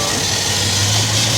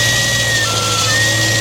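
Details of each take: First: Petrol engine idling smoothly with a steady low hum, no whistling or hissing, after fixing a very loud vacuum leak; all better. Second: gnarly vacuum leak. !!super loud!! watch your ears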